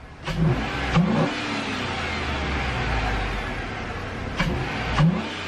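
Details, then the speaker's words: 2003 Chevy Tahoe just after installing a cheap Amazon cold air intake: engine blips up and settles back cleanly with a deeper breathing rush on each rev; louder induction, no check engine lights, otherwise healthy. "it's definitely sucking more air [Music] so there you go it's definitely sucking more air"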